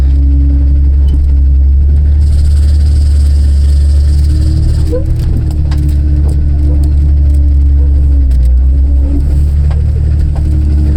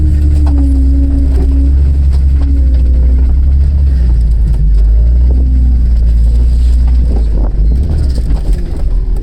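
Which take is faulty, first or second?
second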